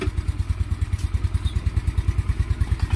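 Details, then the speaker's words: Yamaha Mio Sporty scooter after top overhaul and tune-up with valve adjustment and oil change. Starts in one click; earlier it was hard to start in the morning due to a leaking valve. Tight, even single-cylinder idle, valve clatter gone. Normal idle. "Sa dati hindi yan mapaandar ng ayos ng maganda sa umaga dahil singaw na yung valve. So ngayon parang nagbalik sa, nawala yung kalansing, no?"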